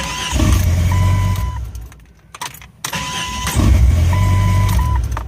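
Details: Jeep XJ starter after repair: two short cranks, each catching quickly into a steady low idle with no grinding or clicking. The repeated failures were blamed on mud packed into the starter lever, with the trans dust cover left off.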